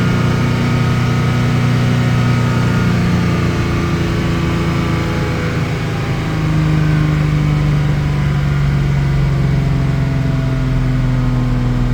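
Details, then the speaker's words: 1987 Jaguar XJ-S 3.6 manual with a misfiring problem, after a 1-hour test drive: steady, even drone at about 3000 rpm with no misses; above 2k it still misfires occasionally, no complaints at 3k. Normal running at 3000 rpm. "And then once I'm above 2k, it's not as problematic. Still misfires occasionally. No complaints at 3k."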